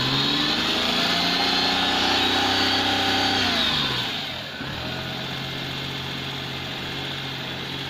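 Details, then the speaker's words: 1999 Daewoo Matiz 796cc petrol, cold start: small engine holds a fast buzzy idle, then revs drop to a lower steady idle after about four seconds; idle running high, owner suspects cold idle adjustment cranked up, unconfirmed. "It's a little high on the idle, isn't it?"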